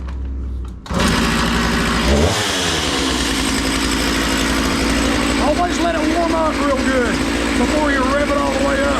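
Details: Makita DCS 6401 chainsaw unused for 10 years, run with the filter, bar and chain fitted: after a rough start the two-stroke settles into a steady buzz and takes the revs cleanly; it sounds healthy.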